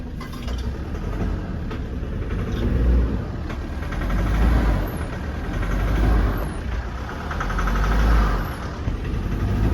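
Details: 2012 Ford Ranger 2.5 diesel (Mazda engine, owner believes) with 178,000 miles, idling: deep rumble surging and sagging roughly every 1.5 seconds from a misfire, with heavy smoke; four injectors already replaced without fixing it.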